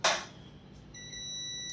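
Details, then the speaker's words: Laptop motherboard repair: a sharp click, then a steady continuity beep on the suspected capacitor, removed and tested off-board, reading 1.1 ohms; the capacitor is shorted, and it was on the supply to a MOSFET. "So this capacitor is getting beep and the resistance value is 1.1. This is a short."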